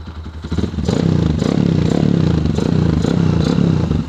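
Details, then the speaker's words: Kawasaki KLX150 bored up to 170 cc, carb and valve settings done: quick throttle blips with crisp, eager rise and fall and light clatter underneath, very responsive. Normal free revving. "Respon banget. Untuk settingan karbu udah dapet semuanya, settingan klep juga udah dapet semua."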